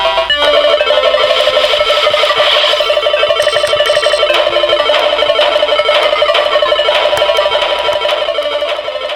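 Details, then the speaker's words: Atari Lynx model 2 speaker after all capacitors were replaced; two long capacitors had been pressing on the speaker housing and causing distortion. At full volume the game music is loud and clean, with no buzz or crackle. The audio is now clear. "so yeah full volume much louder than it was before and I don't have the distortion I had before"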